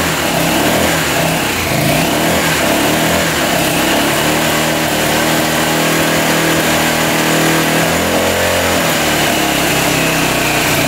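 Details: 1985 Honda XL600R single, sat a couple years, oil put down the cylinder, started on choke: rough thumping through repeated revs that rise and fall, dull breathy note, smoking; weak, likely low-compression top end.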